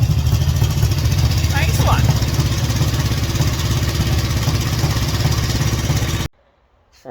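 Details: 1963 Honda CB77 305 Super Hawk, warm from running, kickstarted with no throttle: catches at once, settling into a quick even twin-cylinder idle with no misses, then cuts off cleanly; runs normally.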